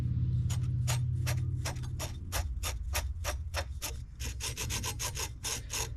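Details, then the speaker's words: MK4 VW GTI 1.8T after a timing belt failure: the timing belt tensioner pulley, spun by hand, gives a dry, gritty rasp with uneven ticks. The owner suspects the pulley seized and let the belt walk and shred, and is unsure whether the tensioner itself failed too. "that doesn't sound good. So I don't know if part of it was that portion of the tensioner, that pulley, or if the actual tensioner failed as well."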